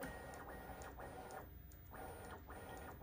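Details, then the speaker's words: Bambu Lab P1P after lubricating the Z-axis belts and pulley wheels to cure a squeak: bed moved bottom to top with smooth, even motor whirr and no squeak or scrape, normal Z-axis movement. "I'm going to go ahead and just move the bed from the bottom to the top and show there's no like"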